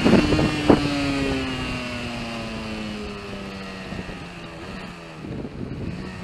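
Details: Yamaha RD125LC YPVS two-stroke: revs drop and wander with an uneven, stumbling buzz and ragged beats instead of a clean crisp note, a spluttering misfire.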